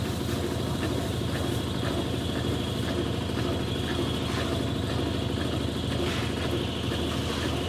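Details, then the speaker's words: 1993 Brastemp Mondial Rotativa washer spinning: a thin steady squeal over the spin rumble. The owner explains the shaft seal (retentor) squeals when running dry and is quiet when water keeps it wet. "o que que ela faz esse barulho arrependida porque o retentor vamos dizer quando a máquina tá com água ela não faz barulho porque o receptor ele tá tão molhado com água tem água com ele que ele tá segurando a água para não deixar a água descer para baixo como se fosse uma espécie de tampa"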